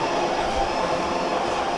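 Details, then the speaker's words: Ninja ES601 UK espresso/coffee machine grinding beans on start grind: loud, steady coarse whirr with even rasp, no stalling or clatter, likened to a GPZ back wheel; burr grinder working normally. "Hey, now then, listen at that. Sounds like back wheel on a GPZ. Holy heck."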